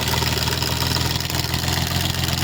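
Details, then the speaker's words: Rusi Gala GY6 scooter engine run almost dry of oil, idling after refill: busy, rapid loud metallic clatter over the idle; valve train noise from oil starvation with damaged camshaft and rockers, before valve clearance tune-up. "So dito nga ay pinaliwanag ko muna sa may-ari kung ano yung naging problema ng kanyang makina, kung bakit ito napakaingay. So yun po yung nakita natin, walang langis."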